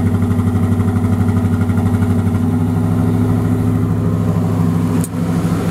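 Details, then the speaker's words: 1986 Ford LTD Crown Victoria, 5.0 Explorer engine, GT40P heads, A9P computer. KOER cylinder balance test kills injectors in turn at idle, so the V8 exhaust beat goes lumpy with one cylinder dead, like a misfire. "basically what a misfire sounds like one cylinder is completely complely dead so it'll kill each injector numerically starting from one 1 2 3 and four on this side of the engine"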